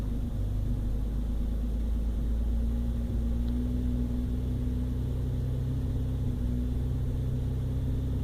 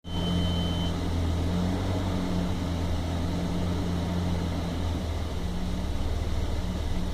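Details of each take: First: 1997 Toyota Land Cruiser FZJ80 (1FZE) idling steadily after a fix, heard in a before-and-after comparison. The earlier rough idle extended to about 2000 rpm. After a short drive, the owner thinks the ECU reset or relearned. Now much smoother, with slight shaking remaining. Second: 1997 Toyota Land Cruiser FZJ80 (1FZE six) at idle: a deep, uneven hum that wavers and stumbles, a rough idle that also persisted to about 2000 rpm; MAF sensor and vacuum leaks were checked, and it later smoothed out, possibly after an ECU relearn.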